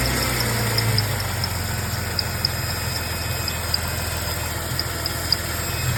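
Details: 2004 Jeep WJ 4.0 idling: a faint high chirp repeats about four times a second over the low rumble, an intermittent squeak. The owner also reports a whining noise; the source is unclear.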